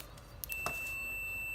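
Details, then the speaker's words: Xbox One S that beeps and then turns off: a couple of probe clicks, then an unbroken high continuity beep from the meter, showing a major short on the 12 V power rail, suspected at a MOSFET. "In beep mode, you can see I have a major short on the 12-volt power rail."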